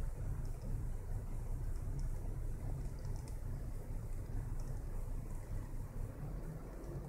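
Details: 2009 Hyundai Santa Fe 2.7-litre V6 petrol engine idles rough and randomly stalls when slowing down: a deep, uneven rumble that wavers instead of holding a smooth beat; cause unknown.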